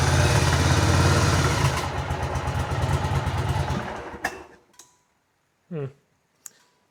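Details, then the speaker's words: 1985 Virago 1100 V-twin stored 8 years, with fresh fuel and purged lines, on full choke: a rough, uneven rumble that sags and dies within seconds; the owner suspects gummed carbs needing cleaning. "again she needs the full choke I [Music] guess"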